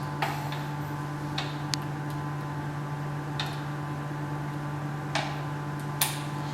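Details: Micro droplet system's two pressure pumps, fed by a compressor, venting the two reservoirs to atmospheric pressure after priming: steady low hum with about six irregular sharp clicks in seven seconds, no pumping. Normal.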